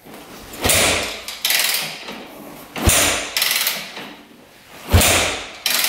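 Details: Rebuilt 2001 Yamaha WR250F dirt bike, confirmed good spark and fuel: several hard kicks, turns over but never fires, no-start; feels like good compression (hard to kick without decompressor), owner worried rebuilt valves aren't seating.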